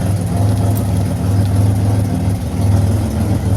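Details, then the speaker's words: 2007 Pontiac Grand Prix with ZZP XPZ aftermarket cam, first drive after build, exhaust flange gasket still missing, trans temp 105: deep even idle with gentle rhythmic cam lope, no knocks or ticks; runs smooth and healthy. "Drives really good and nice and smooth. So not bad for the first drive. I'm happy. It sounds good, sounds healthy."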